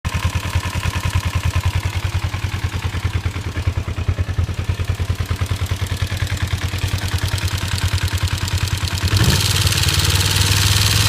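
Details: 1989 Kawasaki Ninja 250 after valve inspection (7 of 8 valves out of spec, plugs fine, cam chain tensioner cleaned): steady knocking about 200 a minute at idle, persisting through a rev; cause not found.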